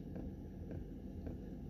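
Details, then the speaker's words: Heater in a minivan camper at -5 °C: faint, even tick about every half second over a low rumble as the heater's fuel pump pulses normally. "you hear that fuel pump just ticking away"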